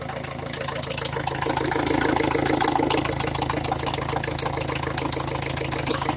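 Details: Peugeot 307 1.6 HDi diesel, just reassembled, idling with a sharp regular knock about three beats a second over the usual clatter; owner says a piston is knocking.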